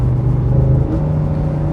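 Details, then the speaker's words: Ford F150 5.0L Coyote V8 towing uphill in fifth gear below 4,000 rpm: a deep drone under load with a brief tone shift as the cam phasers switch on and off, which is normal. "oh yeah you can hear those cam phasers switch on and off all the old 5 L just putting some work in today"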